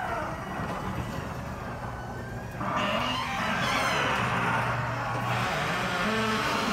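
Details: Genie garage door opener running, recorded up close: a steady motor drone under high, wavering squeals that come and go as the door travels, from a dry, very squeaky and loud door.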